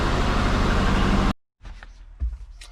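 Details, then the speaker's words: Twin-turbo Subaru Forester with injector issues, idle after injector flow/latency tuning: loud lumpy idle with uneven low pulses, sounds like running on three cylinders, only slightly better than before; suspected misfire, ignition timing to be logged. "It does sound like it's running on 3, so let's start it up and see how we go. Alright. Still sounds the same. No? A little bit better."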